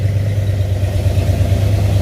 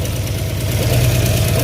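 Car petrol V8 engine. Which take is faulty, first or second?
second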